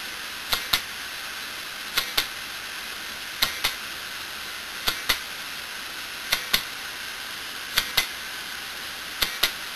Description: This video shows the internals of a failed broken hard disk and what causes that clicking noise. The read/write head crashing and bouncing into the center.